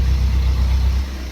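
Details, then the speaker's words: Diesel Fiat 500 after oil flush and oil change, idling about 50 minutes through its third DPF regeneration: steady idle drops a couple hundred rpm as the regen finishes; DPF light still on and the car feels sluggish. "there you go change it no to engine sound it's gone down a couple hundred revs it's finished its regen now"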